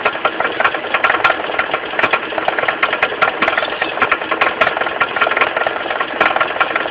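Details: Mitsubishi 4G15 carburetted engine idling with a loose, uneven knock about once a second down at the pulley end: a slack crankshaft pulley, fixed by tightening it rather than replacing it.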